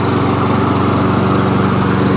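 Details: Curbside Toro SR4 Super Recycler 20381 mower with a Chinese clone engine, started after six or seven pulls: a steady, even fast chatter with no misses; it runs fine once started, though starting was hard.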